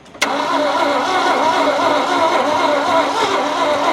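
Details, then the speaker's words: Abandoned 1971 Ford F100 with an engine described as seized, after cooking oil was poured down its throat: steady starter whir with no firing or catch; it isn't cranking hard enough. Cranks but won't start; cause not confirmed. "it's it's dying it's not got enough butt no needs to crank a lot harder than that"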